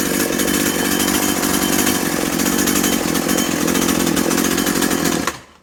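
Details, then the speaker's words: Husqvarna/McCulloch Tivoli 65 two-stroke hedge trimmer, about 17 years old, idle 15 years, after replacing perished fuel lines; steady high-pitched buzz held at full throttle, smooth and even, then cut off cleanly, running normally. "Lo que decíamos, el gas, si solo aprietas atrás no va, necesitas adelante y atrás."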